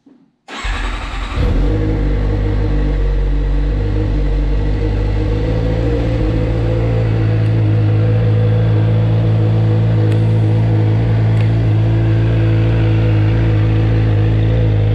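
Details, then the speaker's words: Restored salvage 2013 Suzuki GSXR 750: brief crank, catches at once, then settles into a smooth, even four-cylinder idle with no knocks or rattles; healthy start and idle. "I will fire this bike up anyways for you guys to see what it sounds like again it kills me to have this exhaust on"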